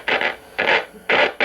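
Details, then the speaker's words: 1959 Zenith B615F tube radio: turning the tuning gives irregular scratchy crackling bursts, harsh hiss with no steady tone; tuning capacitor plates suspected of rubbing together. "sounds like the tuning plates are rubbing together there so we'll need to look into that"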